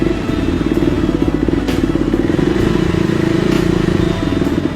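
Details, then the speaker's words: KTM 390 that stalled on the highway after battery voltage dropped to 9V (charging fault, stator or regulator suspected): steady, even single-cylinder idle with no misses. Voltage is back to 14 volts, confirming it is now charging. "Look, the voltage has come back 14 volts"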